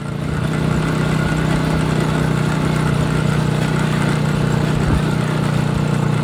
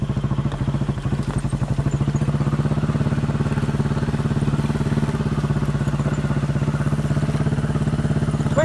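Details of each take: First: Chinese 200cc Honda-clone quad that used to miss and stall once warm, after new spark plugs, following 10-minute ride: steady, even single-cylinder thump with no misses or stumbles; runs normally, considered fixed. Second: Chinese 200cc Honda-clone quad, warm after about 10 minutes riding, choke half on: quick single-cylinder thump with uneven dropped beats, missing and farting; faulty spark plug.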